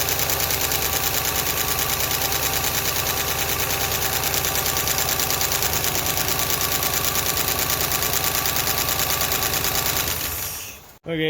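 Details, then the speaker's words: Ford LTD running on milky contaminated oil: quick, sharp metallic ticking over the idle from the top end. Valve lash is loose and tapping on every valve; adjustment with a ratchet planned. "well that's valve train noise i'm going to go ahead and get my ratchet make it a little easier"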